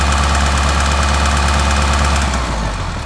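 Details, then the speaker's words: 2010 Subaru Forester 2.0 diesel, manual, 230,000 km, clutch released and revs slightly raised: steady knock about three per second over a heavy low drone; second knock separate from flywheel noise, cause not confirmed; flywheel fault and loose crankshaft later found. "Отпускай сцепление и увеличь чуть обороты. Еще такой вот шум есть. Но это вторая часть."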